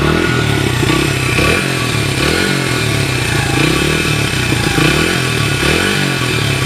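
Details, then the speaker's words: 1994 Honda XR100R single after a carburetor rebuild, warmed up and nearly out of gas: crisp bark that picks up cleanly on each blip and settles without stumbling, no smoke. A healthy motor. "But you guys could see it's been warmed up. Not getting any smoke out of it. It's looking real good."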